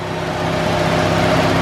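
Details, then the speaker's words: 1972 Ford Gran Torino 400 2-valve V8 first start after sitting 17 years, old yellowed gas, choke closed, a few pedal pumps; smooth even idle, steady low rumble, no knocks or misses; sounded really good. "Wow. All right, that sounded really good."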